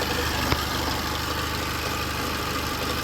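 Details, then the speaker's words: Mercedes B160 petrol engine at idle: faint light ticking, roughly three a second, from the belt and pulley area, not the EVAP solenoid. The drive belt and tensioner are suspected and being replaced; the cause is not confirmed. "There is something, but I don't know where it's coming from. A little clicking sound going on in the background."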